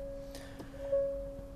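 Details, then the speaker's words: 2023 Hyundai Santa Fe in reverse: a steady, unbroken two-note chime sounds instead of proximity beeps, with a parking sensor error or blockage warning; the rear parking sensor has failed, found by listening for the missing sensor ticking with a stethoscope. "As you can see, if we start the vehicle and pop it into reverse, we get parking sensor error or blockage, obviously on the"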